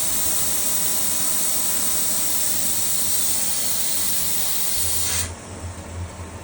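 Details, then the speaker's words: Pool pump restarted on auto after filter cleaning with the filter relief valve open: a loud steady hiss of air escaping over the pump hum, then it cuts off sharply; a normal bleed, and once water appears no air remains. "While that's turning on, we still have this open. You'll hear air releasing, doing exactly what you want it to."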